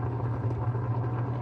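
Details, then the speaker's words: White Westinghouse 12 kg twin-tub washing machine, wash motor powered: steady low hum without turning, only spins when turned by hand; no reverse, wash timer also faulty; motor fails to start. "Kung naririnig niyo umuugong na. Tapos pag ikutin sa kamay isa ka lang ito iikot."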